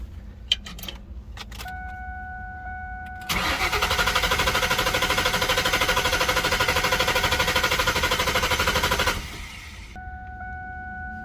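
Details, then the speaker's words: 2000 Ford Mustang GT, abandoned, after transmission install: even starter cranking about six seconds with strong compression, never catches, warning chime before and after; fuel and pump confirmed present, alternator and battery tested; crank no-start. "so after going through a lot more things testing the alternator and uh the battery trying to figure out why it's cranking but not starting"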